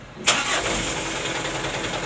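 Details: Mitsubishi Canter diesel truck, in neutral: starter catches fast, engine fires at once into a steady even idle with no stumble or knock; vacuum warning light on at key-on goes out once running, brakes normal.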